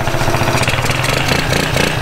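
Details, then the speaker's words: Small 50cc Japanese quad after its carburetor was cleaned, started with a drill because the starter clutch failed: a small single buzzing at a steady idle with even pulses and no misses, knocks or surging. It runs well, though sluggish carrying about 230 lb. "quad runs pretty good it's a little sluggish with me and logan that's like 230 pounds"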